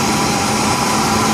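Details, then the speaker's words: 2003 Ford Ranger 3.0L V6 after a homemade high-flow air filter conversion. A steady, even engine hum with no misses, knocks or hunting, idling better than before: a normal idle. "so it's a lot it doesn't idle as bad as it used to so it's really good on that now"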